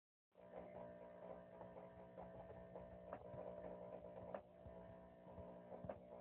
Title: Power Jack inverter 6000 making Popping noise